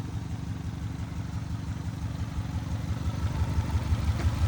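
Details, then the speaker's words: Engine low on oil: steady idle with regular low slapping knock about three per second over engine note, source unconfirmed; engine slap noise. "Got a weird slap going on."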